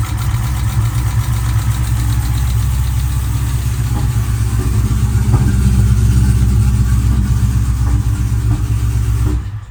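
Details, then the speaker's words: Supercharged Hellephant V8 with supercharger and accessory belts removed: fast light ticking, about four a second, over a rough deep idle, coming from the passenger side; viewers suspect broken or snapped exhaust manifold bolts; engine ticking at idle. "yeah still making the noise it's coming from the passenger side"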